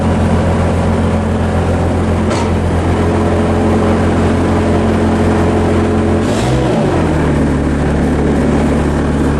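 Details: Bobcat 763 C-series Hi-Flo diesel skid steer after a no-lift/tilt BICS bypass, auxiliary hydraulics not yet switched on, holds a steady even drone with only a brief speed dip; no bogging, runs normally without hydraulic load.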